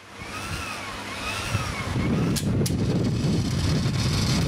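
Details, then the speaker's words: Pioneer CT-200 cassette deck capstan motor: faint whine swings up and down in pitch about once a second regardless of speed pot setting; motor supply fluctuating 12–14 V, traced to a bad control board inside the motor shell. "it's fluctuating. Yeah, look at that. Doesn't matter what the setting on the potentiometer of the motor is, it's doing it the same."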